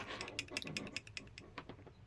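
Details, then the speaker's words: Lister Liberty battery horse clipper motor with a lot of play runs with a loose, irregular clicking rattle over a light whir; oiling the bearings freed it slightly but it still rattles. Worn bearing suspected. "it's got quite a lot of movement on it that might be why it's rattling can you hear that"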